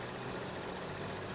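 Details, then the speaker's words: Ford Edge that the owner believed needed an oxygen sensor, idling with a scope connected. The petrol engine jumps and runs badly with a dull, uneven churn and no clean beat; rough idle traced to a timing chain fault. "all right this is going to be our first and it's jumping it's running bad right now you can kind of see that"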